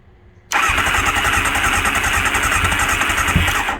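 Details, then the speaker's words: 1999 Kawasaki ZX9R carbureted four, primed with 2-cycle gas down all four carb holes, battery charger connected: catches abruptly, coughs and pops unevenly for about three seconds, then dies. Rough sputtering start. "Oh, I'm hearing it fart and cough. We got us a runner."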